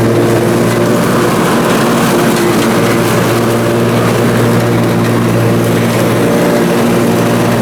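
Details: Briggs & Stratton Intek M44 twin engine after a full twin-carburetor tear-down and clean, under mowing load: steady, even hum, no hunting or surging; sounds way better. Normal running after repair.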